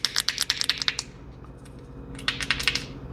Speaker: Okay, if you look at this, see the little dents and things in it? If you listen to it, you can hear it's crackly.